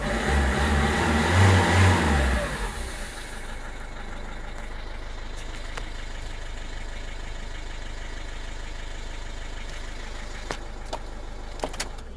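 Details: 2007 Citroen C3 1.5 HDi diesel revving: loud airy hiss over the engine note, then back to a steady idle. Turbo is leaking air, the EGR is blocked by carbon and the DPF is full from city-only driving; temporarily fixed by a 3rd/4th-gear highway run above 2,500 rpm with additive.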